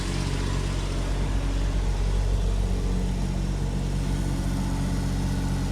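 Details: Ford Sierra Mk1 Estate 4x4 Ghia 2.8i after starter work, run briefly with no coolant in the cold: smooth, even low rumble with no ticking, puffing or misses; idles steadily and sounds healthy.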